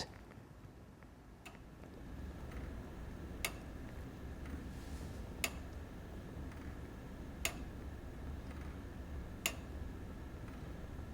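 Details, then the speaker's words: Daniel Delander duplex-escapement month-going equation longcase clock, circa 1710–1715: crisp, evenly spaced pendulum ticks, one every two seconds, running normally. "so you can hear the pendulum ticking away and the ticks are every two seconds"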